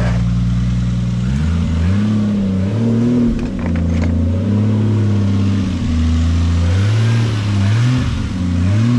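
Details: Toyota Supra truck with a 7M-GTE turbo six, after oil pump/oil pressure upgrade and a Supra fuel pump fitted: crisp blips climb and drop back smoothly to an even idle, no knock or rattle, no leaks; high oil pressure, healthy revving.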